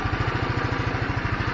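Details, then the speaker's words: GY6 scooter that kept dropping RPM and dying after a week sitting, now after cleaning the carburetor main jet: even steady single-cylinder putter with no stumbling. RPM stable; normal idle, problem fixed. "look like the engine is doing good looks like cleaning the main jet on the carburetor"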